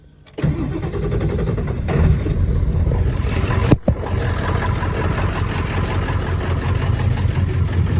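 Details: 7.3-liter diesel, cold start, ZF6 transmission, 400,000 miles: heavy cranking, then catches with a deep, lumpy clatter, stumbles once and settles into a rough low idle; hard starting.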